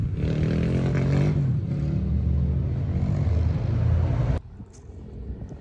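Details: SSR125 single-cylinder pit bike, first test ride after rebuild (valve had been too tight), started in neutral: steady deep thump pulling through the revs up to third gear, no knocks or rattles before cutoff. Normal running.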